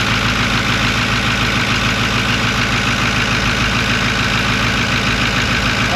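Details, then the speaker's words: 6.4 Powerstroke diesel pickup bought cheap with unknown history, first start after new batteries: normal idle with a steady, even clatter of about two beats per second; runs good, and a sound thought to be the turbos was noticed. "Oh my god. Yeah, it runs good."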